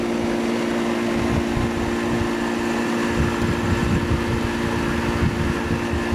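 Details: 1988 Tempstar AC condenser unit running after its seized fan motor was replaced with a new one: steady even hum with smooth fan rush, no scraping, ticking or rattle; sounds healthy, normal running.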